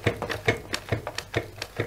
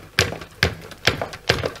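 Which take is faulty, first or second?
second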